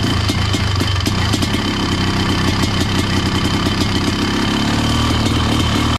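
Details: Honda CR500 two-stroke powered Schwinn trike, 170 main jet: loud steady crackle at even idle, clean firing, no misfire, then cuts off; normal running.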